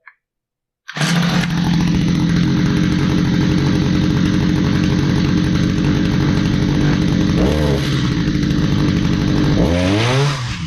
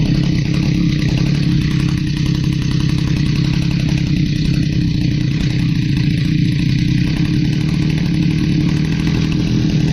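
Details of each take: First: Stihl HS45 hedge trimmer that sat a long time and would not start despite a tune-up: it starts after a second and holds a steady high-revving buzz with two quick throttle dips; the two-stroke runs clean. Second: Stihl HS45 hedge trimmer, long unused, two-stroke started after priming with fresh fuel and a new air filter following a customer tune-up: loud steady buzz with coarse, slightly uneven firing; runs rough, needs more carburetor work.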